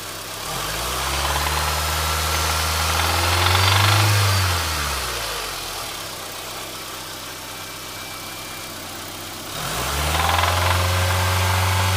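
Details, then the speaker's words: Engine at idle and revving: a steady, fast, deep internal knock that follows the revs up and down, which started just after an oil change; owner unsure whether rod knock or valve lifters; engine knocking. "It's probably an engine knock or a rod knock, but I just want to get you guys' opinion."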